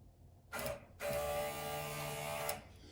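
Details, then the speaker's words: 1961-66 Ford Thunderbird convertible flap transmission, four-wire motor bench-tested after rebuild: a short blip, then a smooth, even electric hum with no grinding or binding; the motor runs normally. "and that sounds really good by the way oh yeah you can't get it any better than that"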